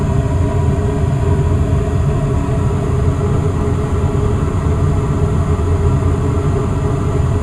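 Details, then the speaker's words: Westinghouse two-stage gas furnace with variable-speed blower, calling for heat: a loud, steady air rush over an even low hum with no rattle or squeal as the fan goes to high speed, blowing warm air. Normal blower at high speed. "so all right now i can hear the fan go into high speed mode just go to this vent here yeah yeah blowing out some nice heat"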